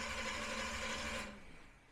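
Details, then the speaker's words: Big-block V8 during Killshot II EFI throttle-body install, before first start, battery freshly charged: a strong, fast, steady cranking whir for about a second with no firing, despite a large voltage drop from the starter; normal cranking. "well one thing is it's cranking really good we charged the battery up earlier but yeah this uh this starter pulls some amperage you Noti the huge voltage drop on the starting"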